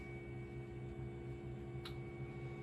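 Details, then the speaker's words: Flashforge Adventurer 3 3D printer, about 4 years and 1300 hours of use, starting a small print: quiet steady low motor hum with faint even whir, no knocks or grinding. Normal running. "it sounds like a running which is not bad"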